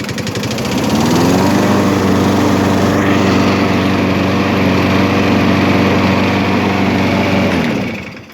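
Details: Briggs & Stratton small single-cylinder engine with plastic carburetor converted from primer to autochoke and cleaned, air filter off; runs rough at first start, then catches and settles into a steady, even drone; oil coming out vent hose.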